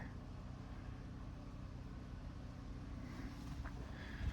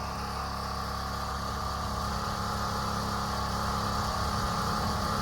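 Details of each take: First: Small engine after moving governor spring two holes over: steady even drone with low thrum, no surging; speed toned down, now normal governed speed. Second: Small engine after fitting a thicker spring, tighter than the factory one: steady drone climbing in pitch and staying high and busy, running too strong; owner suspects spring causing overspeed.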